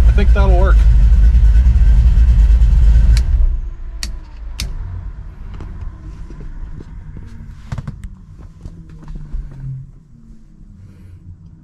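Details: Freshly built 383 stroker small-block V8 in a 1970 Monte Carlo, after install, with everything wired on relays: loud, deep roar for three seconds, then a lumpy, steady idle with a few clicks. Normal start and rev.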